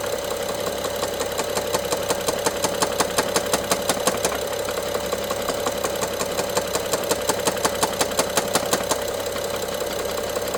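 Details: BMW F07 with N55 engine: sharp regular ticking/rattle about 167 a minute over running engine, heard by stethoscope on top, loudest near cylinder 1 injector and middle connector; more throttle, more rattle; sometimes stops briefly; timing chain inspected OK; top-end knock, cause unknown.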